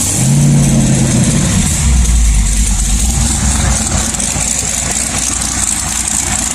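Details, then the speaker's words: LS1 V8 with a sloppy stage 2 cam, idle tuned with HP Tuners and AFRs now good: deep, steady rumble with a choppy cam lope that settles evenly after a brief blip; starts much better and idles healthy. "let me fire it up and show you how good this car is running now with the afr's looking good it starts up so much better now"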